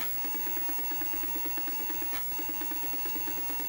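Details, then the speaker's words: Repaired Atari 1050 floppy disk drive, half-assembled, loading in Atari 800 compatibility mode: soft motor hum, faint steady tone, light ticking about twice a second; spinning and reading normally. "now let's see if we can load it works if the option key again to go into 800 Atari 800 compatibility mode and it seems to be loading"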